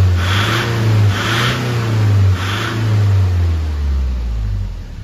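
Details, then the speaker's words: Nissan Urvan Estate ZD30 E25 diesel that was smoky and shaking, at idle after cleaning oil from the intake: steady deep rumble with slight roughness; injection pump not faulty, oil suspected from the breather and from diesel entering the engine oil. "Ayan, okay na. So hindi sira yung injection pump mo."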